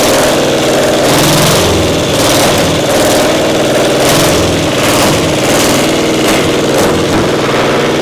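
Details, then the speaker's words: Caterpillar Diesel 70 twin pony motor, round 4 start: lumpy, stumbling run with skipped beats, one cylinder hitting only once in a while; spark plug suspected, carb acting good; misfire from bad magneto cap dropping spark. "So what's the status? Running on one cylinder. We got one cylinder not Hitting working. on two once in a while. Acts like a spark plug or something was goofy."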